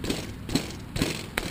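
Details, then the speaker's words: Mountain bike bounced forcefully on a hard surface: three hard thumps, each with a brief loose rattle. Suspected loose headset, to be confirmed by rocking with the front brake held; worn fork bushings are also possible. "for an excess rattle like we have here uh potentially a loose headset"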